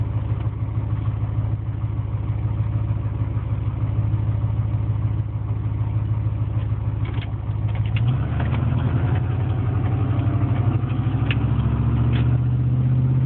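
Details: Steady low idle with a faint irregular clatter creeping in over the rumble; knocking at idle, owner suspects piston slap, not confirmed.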